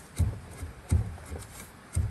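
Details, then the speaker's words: 2013 Nissan Pathfinder, passenger-side rear shock with its bushing gone: dull, low clunks about once a second as the shock is rocked, showing loose play; the noise got much worse this week, shocks and springs being replaced. "we had a noise it got real bad this week this is the shock on the passenger side the bushing is gone see how that moves"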